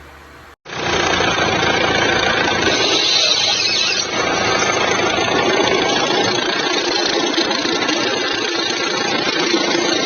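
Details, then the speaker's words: Jeep Compass 2.0 diesel idling: rough, fast rattling chatter from the front accessory drive. The alternator bench-tested without noise, so the alternator overrunning pulley was replaced, risking it wasn't the cause; before-and-after recording. "Então tinha sim uma chance de não ser o alternador. Então a gente correu o risco ali de trocar igual essa polia aqui e resolver o problema."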